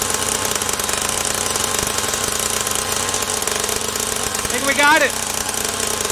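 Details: SYX Moto Holeshot 50cc two-stroke, after repairs incl. carburettor and idle-screw adjustment: fast steady buzz holding an even note with no stumbles; runs and idles cleanly.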